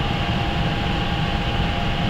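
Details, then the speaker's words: Shop furnace combustion fan after replacement (old blade disintegrated): steady low rumble with an even whir, no wobble, rattle or scraping; running balanced, much quieter. "But anyway, it's up and running. Should be a lot quieter in the videos."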